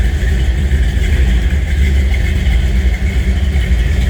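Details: 1962 Chevrolet Biscayne V8 idling on cold start: deep, steady burble with an even lumpy beat and no knocks or ticks; healthy idle.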